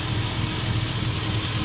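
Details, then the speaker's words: Junkyard 5.3 LS V8 for 1982 GMC C10, running on engine stand with fuel pressure checked, about 35 psi oil pressure, PCV not connected, cold before warm-up: steady even low idle, no knocks or ticks; rings seated well. "Got the PCV not there, but that's good. The rings are seated well. They seated well."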